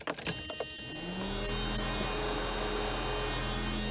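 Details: 1992 Mercedes 300E W124, M104 engine, hot day, battery reconnected for self-test: auxiliary fans spin up within a second, then steady even whir with low hum; normal operation.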